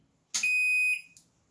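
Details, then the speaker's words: Microwave oven after a new 1.13 µF capacitor and 10 A fuse were fitted, switched on at the wall: one clean, high-pitched half-second beep as the control panel powers up normally. "Okay, guys, I'm going to switch it on at the wall and we should hear it come on, just the panel."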